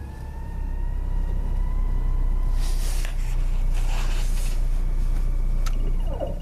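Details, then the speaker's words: 2018 Ford Fusion, 6F35 transmission, about 20,000–23,000 miles: steady high whine over low engine drone while stopped in drive, pitch level; noise in reverse and drive, gone in park and neutral; converter removed, stator found completely stripped. "so when we pulled the converter out we found the stator completely stripped 20,000 Mi on the car and it's actually the first time that I've seen this"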